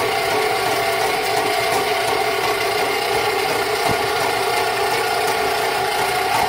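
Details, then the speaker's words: Rental sewer snake in a home sewer line: continuous droning motor with coarse rattling churn that never eases; cutter going hard, won't let the cable push through, eating its way through while given slack. "it's doing its job right now it's actually going hard everything i'm doing is just giving it some slack and letting it it's not allowing me to push through right now at all it's wanting to eat its way through"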